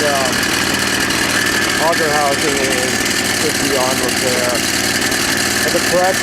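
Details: Small engine on a rusted Craftsman snowblower, started after an oil change (oil was very low): busy, harsh running with irregular squeaky chirps; noisy, unclear whether from inside the engine or the poor-looking pulleys; abnormal running noise.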